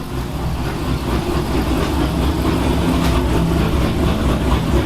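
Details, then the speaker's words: 5.7 L V8 with a Texas Speed Stage 2 cam, idling cold on a cool morning on the dyno before tuning: choppy, uneven lope, normal for the cam. "Our 5.7 liter Texas Bean Stage 2 cam is on the dyno. It's chopping down the block. Joker sounding good on this crisp, cool morning."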